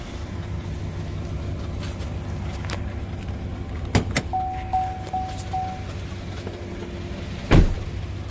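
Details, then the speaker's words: 2018 Chevy Silverado 5.3 running terrible and shaking: low, loping uneven idle with sharp clacks from underneath; scan shows cylinder 2 misfire counter climbing while others stay at 0, so cylinder 2 is dead, not firing; owner wonders about broken valve spring. "So cylinder 2, according to this, is a dead mess. Look at that. All the other ones are at 0, including 8. But cylinder 2, it just keeps counting. So cylinder 2 is not firing."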